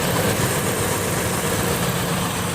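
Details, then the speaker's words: Ford 4.6 V8 after fixing and re-welding the exhaust manifold EGR tube; even, steady idle with a light throttle blip, quiet, no more puffing pup-pup exhaust leak sound. Normal idle. "the engines running and it sounds great I have no more pup-pup sound and we give a little bit of gasoline here and you can hear the engine see pretty quiet"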